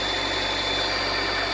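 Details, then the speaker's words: 2014 Nissan Altima at idle right after serpentine belt replacement: short, steady, even idle with a smooth hiss and no squeal, chirp or slap; new belt running true and still on all its pulleys. "Alright, let's see how that belt is working pretty good. That means it ain't off nowhere."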